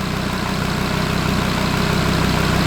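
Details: Audi RS3 DAZA engine at warm idle during first-start coolant bleed, bottom radiator hose warm, temperature stable at 90 degrees, no overheating; steady, smooth unchanging beat, no knocks or misses, normal healthy idle.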